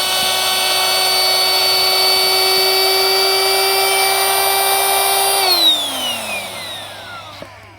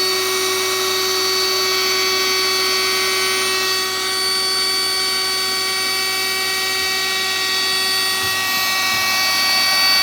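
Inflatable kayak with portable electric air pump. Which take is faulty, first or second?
second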